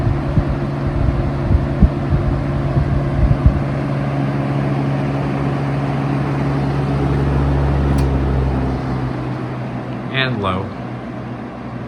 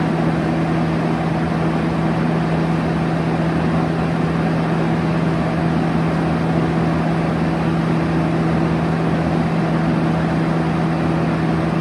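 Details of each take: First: 1971 Kel-Aire model 7000 20-inch three-speed box fan, on low, still fairly fast and not whisper quiet: steady even hum with low blade whoosh, no ticking or rubbing; slight shake, normal running. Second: 1971 Kel-Aire model 7000 3-speed 20-inch box fan on high: steady low hum and even rush of airflow after a slight startup sound; a little shake noted, but no clear rattle; air movement good.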